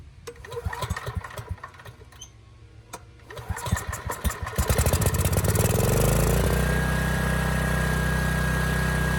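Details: Generac WheelHouse generator with a formerly seized Briggs engine; a few uneven firing bursts, then it catches and settles into a steady, even drone. Normal running.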